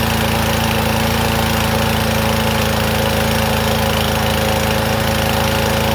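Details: Troy-Bilt TB110 push mower, about 10 years old: loud, uneven chugging about three beats a second, lumpy and rich as if on choke; rough running from a carburetor fault, a part hitting the main jet.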